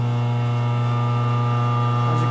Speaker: as you can see it starts to hit and the temperature should go up